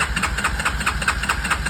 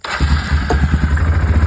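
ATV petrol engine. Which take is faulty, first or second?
first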